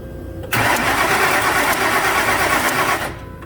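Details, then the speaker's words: 2006 Ford F250 5.4 that won't start after bodywork, with no codes. Noid light on injector 1 and spark tester on coil 1 show spark, injector pulse and fuel pressure. Even starter churning, no firing. Bad fuel, false fuel pressure or jumped cam timing suspected. "So we've got theoretically spark and injector pulse and theoretically fuel pressure. So it's either bad fuel or somebody's lying to us about fuel pressure."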